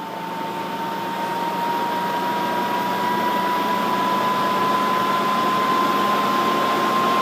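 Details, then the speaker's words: Dell Precision 490 with case open, fan test mode at power-on: steady rushing airflow with smooth slightly rising whine near 1 kHz, no rattle or ticking; healthy case fans at full speed. "you can hear the fans really start to crank up to full speed which I'm just going to let you hear this because they sound really quiet but this is how they sound full speed"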